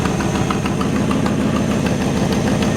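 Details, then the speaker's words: 1955 Ford F-100, original drivetrain, engine idling with hood open: quick, even ticking about three per second over a steady idle, the puff of a leak at one exhaust manifold; otherwise a good-running engine. "this truck does have is a little bit of an exhaust leak out of one of the exhaust manifolds you pop the hood and let you hear the engine"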